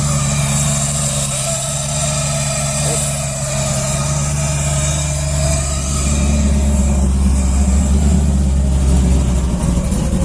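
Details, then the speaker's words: Junkyard 5.3 V8 Camaro (TH400, stage 2 cam, 92mm throttle body, HP Tuners tune) on a cold start in the mid-30s °F: a steady, even low rumble with no knock, miss or hunting. Normal cold idle, a little rough at first, then it cleans up. "it's always a little angry when i first started it cleans up though"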